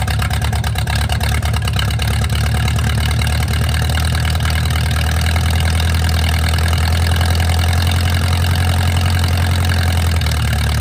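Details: Mercruiser 470 3.7L marine four-cylinder, first run in 16 years after fuel reached the carburetor; steady deep idle at even speed, no knocks or misses. Automatic choke not working properly, owner suspects his wiring. Normal idle.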